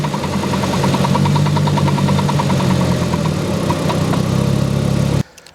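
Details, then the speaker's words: CV axles on a VW Jetta click quickly and evenly, about three a second, over a steady engine note when turning both left and right; worn CV joints, both front axles need replacing. "so they're not supposed to click like that normally when you hear clicking that means your axles are bad um it's doing that on both turning left and turning right so both of them have to be replaced"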